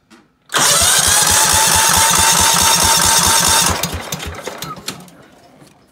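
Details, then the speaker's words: Cub Cadet 2135 mower, throttle three-quarters open, choke closed manually, low-oil light on: fires abruptly and screams at a high steady pitch about three seconds without settling; governor spring not under tension, throttle pullback doesn't lower revs. Engine over-revving at start. "that was running but that was ridiculously high I mean I don't even know what RPMs that is"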